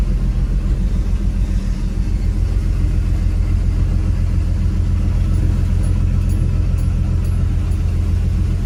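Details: Classic Dodge D150 truck idling: a deep, very even rumble ticking over quickly with no throttle. The idle is far too fast, and the owner blips the throttle to try to slow it.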